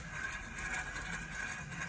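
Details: Ford Focus Mk2 rear bolt-on wheel bearing, caliper, carrier and disc removed: bare hub turned by hand gives a gritty, uneven rolling rasp, bearing not in great condition; worn wheel bearing.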